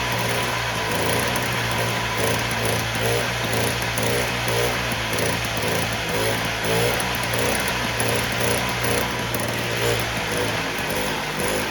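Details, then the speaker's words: 1958 Allstate (Sears) Vespa 125cc two-stroke just cold-started after sitting about a year: light, buzzy idle ticking over steadily while warming up, no misfires or stalling; started easier than expected and runs smooth. "well that started up a lot easier than i thought it would usually it just takes a bit of time for the gas to start falling down in it but it's running smooth"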